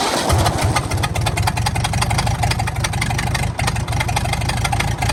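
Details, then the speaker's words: 1929 Ford Model A four-cylinder, abandoned 75+ years, ex-two-door coupe likely used as doodlebug or power unit: engine stuck at a fast steady roar instead of idling; owner thinks carburetor linkage is holding throttle open. "well she runs but she's wound wide open here let's uh let's fix that thinkig our carburetor linkage is a little"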